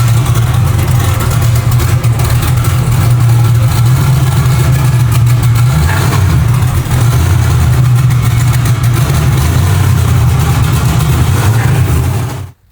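Big V8 lopes loudly with an uneven, stumbling low beat and irregular pulses, running rough on pump fuel with a methanol tune.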